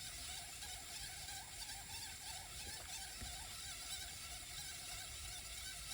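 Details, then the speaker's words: 5.25-inch floppy drive being repaired and tested with a GreaseWeazle v4: quiet, uneven ratcheting ticks at about one and a half per second as the head steps forward while reads keep failing. "Yeah, it's just failing over and over still. But I saw the head move forward a little bit. Oh, it is. Doesn't sound good though."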